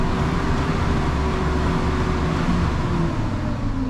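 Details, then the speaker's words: 2003 Chevy Silverado 1500 V8 after fuel pump replacement: deep rumble rises and falls smoothly with no stumble or miss; revs cleanly and returns to idle very well. "revs and goes back down to idle very well"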